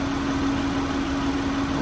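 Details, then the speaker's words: Copart auction vehicle at idle with a clean, leak-free engine bay: a steady, smooth, unbroken hum with no ticks, knocks or hunting; normal idle. "oh man wow wow it just sounds so smooth and everything in this engine is clean"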